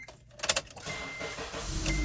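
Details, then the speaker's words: Car after replacing a stolen catalytic converter, front sensor not yet installed so check engine light stays on: engine fires and settles into a soft even run without exhaust rasp; exhaust now much quieter and sealed. "That's much quieter."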